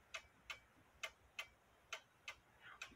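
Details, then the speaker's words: One-day cuckoo clock, three years in service, hung crooked on the wall: ticks in uneven pairs, short gap then long, about 130 a minute; out of beat, needs leveling. "it's not quite in beat because uh but it is ticking away"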